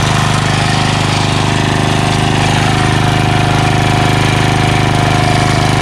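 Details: Craftsman 3HP Tecumseh lawn edger after water-contaminated oil change, new carburetor (no leak, primes well), gas line and air filter; single-cylinder runs steady and even at constant speed, no misses or knocks, runs like a champ.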